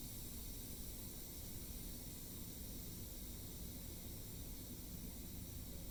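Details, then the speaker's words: Quick cooker with pot roast and potatoes venting steam: steady, soft, even hiss dropping to a low level with no sputter as pressure release nears its end; normal pressure release. "It smells incredible, but we're sitting here waiting for it to release. You can hear the hissing getting lower, meaning it's almost done."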